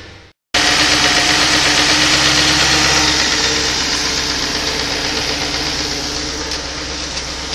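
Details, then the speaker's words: 2005 VW Touareg idling just after a battery replacement, 14 V with the alternator charging: a steady, even hum with no knocks, misses or hunting, running smoothly. "Car's running beautifully. Battery's in, got full power, so I'm happy."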